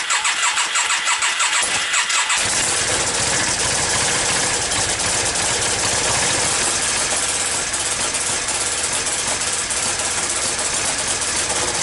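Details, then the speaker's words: Yamaha Virago XV535 V-twin with replacement carbs, hard starting: rear cylinder not firing properly, loud uneven stumbling beat with front exhaust pipe blowing; owner suspects a failing coil, intake air leaks ruled out. "it's still having the same problem with the the rear cylinder not firing properly"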